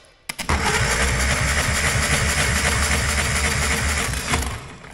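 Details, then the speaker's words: Caterpillar pony motor cranking on its starter after wedging it to engage, compression test: steady even cranking beat; about 95 to 98 PSI on both cylinders, even compression. "I rate about exactly the same about 95 to 98 PSI so still pretty even compression I'd call that pretty good really"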